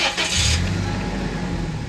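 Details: Car restarting after the EFI fuse was refitted following a cranking-voltage test: short crank, catches straight away and settles into a smooth, even idle, with voltage rising from 12.3 to 14.24; healthy start.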